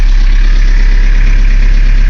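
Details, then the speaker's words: 1981 Chevy LUV 4x4 diesel: starts right up and settles to a steady, even low diesel rumble with no knocks or misses; normal idle, no warning lights. "go and start it up for you starts right up idle's"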